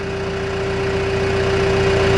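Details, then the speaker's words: John Deere 310G backhoe diesel with a suspected failing injection pump (keeps losing fuel prime after sitting), on a mild day of about 78°F, idle back to minimum 900 RPM; steady low idle with an even beat, no misses or knocks; normal idle. "Idle back to minimum speed. It does just fine. 900 RPM."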